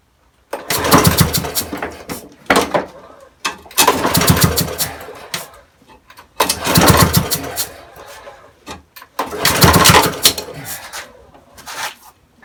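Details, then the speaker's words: Broken spares-or-repairs petrol walk-behind mower with oil at correct level: about five recoil pulls, each a brief whirring turnover that never fires; no-start later traced to valve timing out, cam off its mark. "Okay, so not really any luck with this, so might just try taking the plug off, shooting a bit of petrol up there, putting it back on and seeing if we can start it then."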